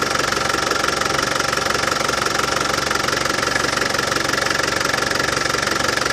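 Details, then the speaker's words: Land Rover Defender 200TDi diesel at steady warm idle after fitting a new power steering pump and bleeding the steering system: even clatter, about four beats a second, with none of the old rattle-can pump noise; healthy idle. "Well, as you could hear, no more nasty rattlings from the power steering pump. That new power steering pump has cured it."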